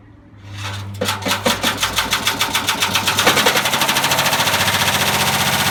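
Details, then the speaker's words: Haier washer-dryer deliberately run with a brick in the drum: rhythmic heavy bangs, three or four a second, speeding into rapid hammering as spin builds; motor still working despite the loose heavy object. "Doesn't like it. Doesn't like the brick. Motor's still working. You hear that banging?"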